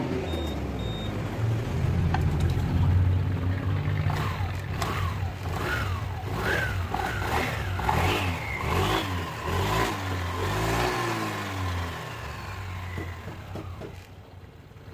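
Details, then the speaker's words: Honda Vario 160, one year old, with a rattling complaint in the CVT, test run with the cover off after drilling two holes in the clutch bowl: revs rise and fall, belt drive whirs cleanly without slipping or grinding; normal. "Dan begitulah teman-teman sistem atau cara main fumble bila mesin dihidupkan."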